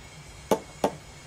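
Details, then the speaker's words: Borg Warner 1356 transfer case on a Bronco project: two sharp metallic clunks, oil pump body knocking, a common problem on this case; the pump fits around the shaft and only a small metal piece stops it turning. "That's what that noise is. That is to the body of the oil pump."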